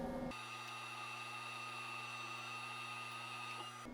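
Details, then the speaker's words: DMM AC servo motors homing the axes of a DIY CNC mill under LinuxCNC: a quiet, steady electronic whine at an even pitch for several seconds, stopping cleanly, no grinding or chatter. Everything operating as it should; normal homing. "That was a simple test, and more problems could arise down the line, but it looks like everything's operating as it should."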